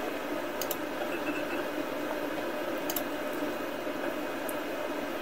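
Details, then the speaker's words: IBM PS/2 Model 50 hard drive seeking while Windows is closed. Quiet fan hiss with sharp paired clicks, about five in five seconds; normal seek noise. "let's close out of windows here then here the hard drive seeking"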